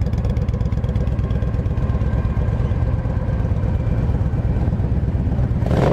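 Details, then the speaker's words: Used 2007 Yamaha V Star 1300 V-twin, 24,989 miles, just after start: deep even thumping idle at a slow steady beat, no rattling or ticking, no smoke; healthy idle. "Fires right up. Don't hear any kind of rattling or engine noise, no smoke. Got a nice little thump to it."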